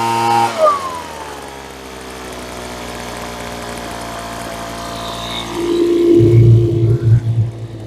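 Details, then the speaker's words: Roadside-found Troy-Bilt TB25C two-stroke blower (about 25cc assumed), started with primer and choke: it catches and settles into a steady buzzing idle, then revs cleanly and drops back. It idles and runs normally. "Oh, it idles now. Two for two today."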